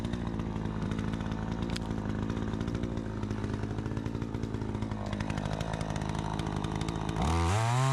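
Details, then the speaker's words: Troy-Bilt 20-inch two-stroke chainsaw, bought new, after carburetor adjustment: strong steady howl holding even revs through the cut, no bogging or surging; runs like a new saw, owner thinks a bit more RPM possible; healthy under cutting load. "Sounds good. This thing runs so much better. It's like a completely different saw. It runs so good."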